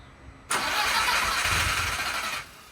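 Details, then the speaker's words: Audi TT after replacing fuel lines and fuel filter, with no fuel pressure yet: starter cranks steadily for about two seconds without catching, then cuts out; extended crank, slow to start. "And the TT took a bit to start because we replaced the fuel lines and fuel filter, so there was no fuel pressure."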